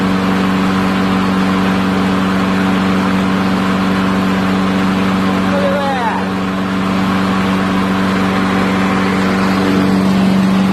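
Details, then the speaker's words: Revived neglected old push mower's small single-cylinder holding a steady, buzzing run at constant speed without stumbling or surging; owner notes it still starves a little for fuel, assuming some junk remains. "she runs look at that I'm gonna add some oil and give her a little test run"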